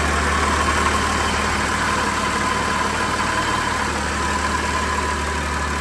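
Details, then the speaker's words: BMW E92 335d diesel during its RHD-to-LHD conversion, first start after much troubleshooting: even diesel clatter at a steady idle with a low drone and no misses. Normal idle. "The engine is finally running."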